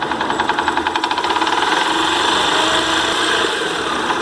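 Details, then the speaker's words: Yamaha YBR 125 Factor idling: irregular metallic rattle about three or four beats a second, noisy at idle and fading at higher revs; suspected electric starter one-way clutch. "não pode ser que a embreagem com o direcional que fica no conjunto da partida elétrica está fazendo barulho"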